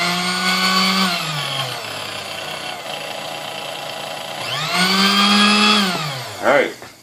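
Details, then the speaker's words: Vintage Sunbeam Mixmaster Model 12 after service and repair of a non-running unit: smooth motor hum winding up and coasting down evenly, no rattle or shake; runs properly, though armature end play makes the machine sound like it vibrates. "sounds good that sounds way better amazing how much noise it makes"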